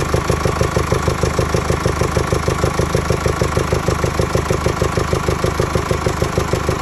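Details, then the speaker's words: 2017 Mercedes E220 diesel, OM654 engine, at idle: deep, even whooshing pulse about three times a second, heard as coming from the air intake system; worn rocker roller bearings have damaged the camshaft lobes; fix is replacing camshafts, rockers and tappets. "As you heard in the video, it is like a deep blowing noise coming from the air intake system. The cause of this noise is the rockers on the valves failing and damaging the cam shaft loes."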